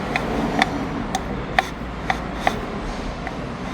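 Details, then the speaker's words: 2021 VW Saveiro with 93,000 km, its steering column removed and turned by hand with the mic close: irregular sharp clicks and ticks about two per second. Worn steering column bearings, louder when mounted in the car; column replaced. "esse barulho quando montado no carro ele ele ele multiplica né porque ele tá na estrutura do carro barulho fica muito mais perceptível e incomoda"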